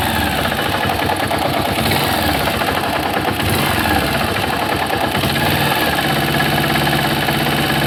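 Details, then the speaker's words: Honda pushrod 125 engine (Titan/CG/Fan 125 up to 2008), removed from the frame. Small single idles with busy, harsh mechanical knocking. Owner suspects the connecting rod; engine knocking. "então começou a fazer barulho nesse motor aí tá provavelmente de biela"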